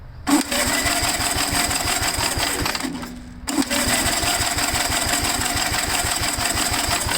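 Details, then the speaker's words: Gravely engine cranked on the starter with a two-stroke mix poured into the cylinder: strong, even compression pulses, a brief pause, then cranking again. Normal cranking compression. "I put too much uh two-stroke mix in the cylinder that I know can't take a nice compression so that's great that's a really good sign right there"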